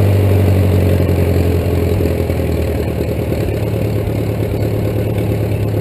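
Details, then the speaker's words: 1941 Case SC tractor, rebuilt engine, no muffler, first start since December 2015, started in 2 cranks: loud unmuffled idle with an even beat around four a second, no knock or miss; healthy smooth running. "not bad, 2 cranks, and it's been sitting since December, so runs really well."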